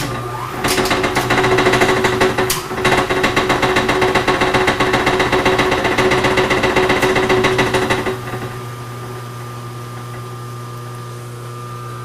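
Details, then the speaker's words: Used K&T No. 2 plain milling machine first start, free running counterclockwise, disengaged: motor hum with rough, uneven slapping tick about four per second; likely the drive belts, which earlier showed loose tension with the motor jiggling. "i just wanna i am pretty sure that that's the belts"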